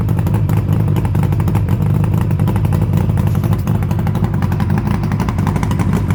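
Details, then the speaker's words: Suzuki GT750 B two-stroke after full restoration, ridden only 11 miles so engine very tight; smooth, even burble with no knocks, revs dropping quickly; normal healthy running. "on this one it was pulling its luck which is a bit weird but hey as you can hear very very healthy now"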